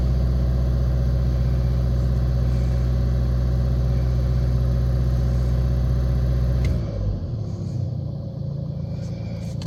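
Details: Nissan Qashqai diesel just after a fuel filter change and pump priming: even, steady drone held at about 2000 rpm, then easing back toward idle; smooth, healthy running.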